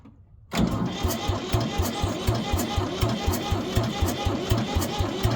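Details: 1973 Ford 4500 industrial diesel backhoe, bought as a non-runner sold for scrap, on its first start attempt: slow, labored cranking at about four beats a second, hard to catch with ether nearby, then it runs; hydraulics not working yet.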